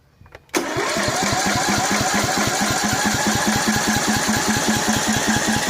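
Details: Cub Cadet 720 C 33-inch mower after carb cleaning and oil change, with spark and fuel: after a click the starter turns the engine evenly without any firing; cranks but won't start, owner suspects the starter.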